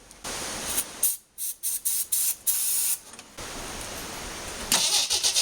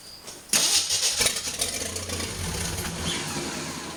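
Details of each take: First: 1981 Jeep CJ8 Scrambler with AMC 258 inline-six, just converted to Ford TFI ignition, carb spray added: steady starter cranking about three beats a second, never fires; no spark from the coil, crank no start. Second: 1981 Jeep CJ8 Scrambler, AMC 258 inline-six, just converted to Ford TFI ignition with old gas in the tank: sharp starter crank, then it catches and settles into a ragged but self-sustaining idle; cranks and starts.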